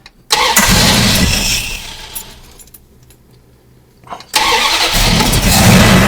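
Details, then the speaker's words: 1974 Plymouth Duster with a carburetted V8, bogs on throttle and idles a little rough; it fires up, sags and nearly dies, then picks up unevenly; rough idle, cause not yet found. "It's it's like bogging when you go to get gas. Like it's not want to take it all and it's rough a little bit to idle and Mhm."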